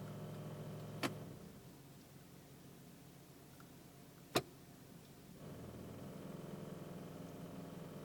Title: Accord euro's noisy when transmission at D